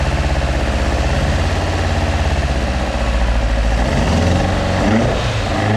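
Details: Mk2 Ford Escort with Pinto engine: lumpy, pulsing idle with uneven beat, then a ragged blip of revs; carburettors only mildly set up and still need adjusting.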